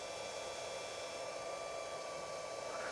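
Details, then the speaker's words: BougeRV DC600 DC-DC alternator charger on the bench, just switched on, 30 V setting that the app dropped to 13.25 V: steady even rushing whir with faint high tones; the cooling fan spins fast despite almost no load. "You'll hear though that fan, well, you might hear, I don't know if my noise cancellation will cancel it out. That fan is still going really fast."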